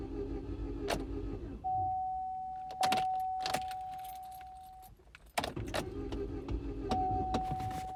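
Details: 2006 Chevy HHR no-start after new battery, injector cleaner and fresh gas; mic under gas tank: short cranking bursts and a thin ~3-second hum, likely pump priming, engine never catches; crank no-start.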